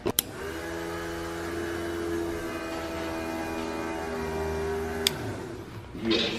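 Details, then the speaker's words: Fuel pump priming, ignition switched on for a few seconds on first start-up before a leak check: steady electric hum with a clear whine for about five seconds, then cut-off; normal prime. "So what I'm gonna do is just switch that on for just a few seconds until I hear the pump prime, and then I'm gonna shut it off and check for leaks"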